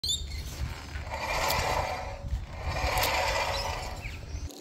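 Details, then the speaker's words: 2016 Toyota Hilux braking: harsh metal-on-metal grinding rising and fading over road rumble; front pads worn to the metal and front rotors looking destroyed. "that's not the sound you want to hear when braking all right in this video we got a 2016 Toyota Hilux and to me it looks like the front brake rotors are completely destroyed because the pads were all the way down to the metal"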